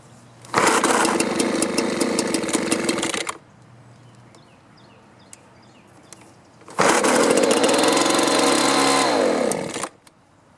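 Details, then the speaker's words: Winter-stored two-stroke leaf blower, primed and choked: long bursts of recoil pulls with a rattly buzz. It runs on choke but bogs and quits on run, suggesting fuel starvation from a clogged carburetor, fuel line or filter. "well you can see i can get it started it'll run with the choke on but then when i turn it to run it bogs down and will quit running"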